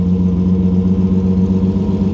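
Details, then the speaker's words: Ford Granada Mk2 2.8 V6 Ghia X, automatic, first run after 20+ years parked: after one stall, smooth even low V6 idle with steady pulse, no knocks or misses; slightly smoky, good oil pressure; normal idle. "Okay, let's try again. This is She sounds very sweet."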